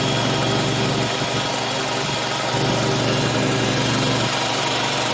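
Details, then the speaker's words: Oil-bath air compressor after head repair, head remounted on the tank, filmed weeks after break-in: steady even chugging at about three pumps a second with a smooth hum, no knocks or squeals. Owner says oil-bath heads are quieter. Running healthy. "but these ones are this kind of compressor heads that are uh oil bath are are way better i believe they're quieter like this too"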